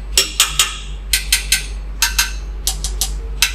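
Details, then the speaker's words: Hammer tap test on a workpiece clamped in a Siemens CNC machine, checking hardness: sharp, bright metallic taps in quick groups of two or three about a second apart, ringing briefly; hard, firmly clamped workpiece. "ini lumayan keras ini Saya biasanya ngetesnya dengan dipukul"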